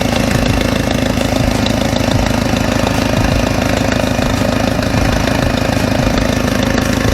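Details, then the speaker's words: W202 Mercedes idling after stainless steel header install; sharp puffing tick at every firing pulse, sounds better than before but still noisy — exhaust leak, suspected cracked header gasket. "ah you kind of still hear it sounds almost like i have an exhausting like there's a almost like the uh the gasket is [ __ ] cracked"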